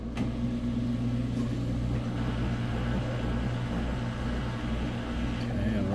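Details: Samsung front-load washer after replacing all four shock absorbers, heavy towel load on rinse and spin, high: steady low hum with only a faint thump, some bounce seen; drum stays even, normal spin.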